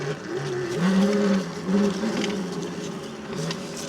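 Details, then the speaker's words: Tuttio Soleil 01 electric dirt bike, 2000W brushless motor, ridden by a roughly 175 lb rider: clean motor whine rising and falling with throttle, no chain rubbing, which only occurs without the rider's weight; normal running. "It's a little bit quieter with me on it because it doesn't make that rubbing sound."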